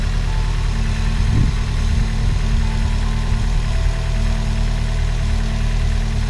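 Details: Chevrolet Celta at idle after restoring the alternator, whose bearings were noisy from mud contamination. Steady smooth idle, no whine, rumble or bearing growl; the alternator is now quiet and charging 14.61 V. Normal operation.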